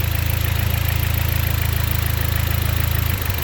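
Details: 2010 Dodge four-cylinder after replacing a dead ignition coil: even, steady idle with regular pulses about four a second and no misfire stumble; normal idle.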